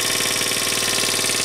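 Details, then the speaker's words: 1981 Honda Passport small single after low-compression repair: quick, even idle putter with light top-end chatter (owner thinks valves may need re-adjusting); starts easily, runs smooth, healthy idle. "but it starts really nice and really easy let me see turn it on and uh see how good she'll start quick and that is"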